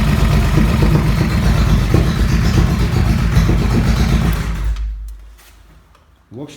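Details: Honda Shadow 1100 after repair of a front-cylinder knock: new timing chains, replaced and adjusted hydraulic lifters, carburetor service and wiring repairs. Steady, even V-twin idle with no knocking, cold or hot.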